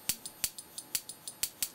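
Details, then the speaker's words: Xenon short-arc lamp ignitor from a Simplex 35mm cinema projector powered on the bench: sharp dry snaps about five a second, uneven in spacing and strength; spark gap not firing reliably, only about 8 kV, cause not yet confirmed. "definitely we're not getting reliable uh firing on the spark gap we're only getting maybe eight kilovolts out of that"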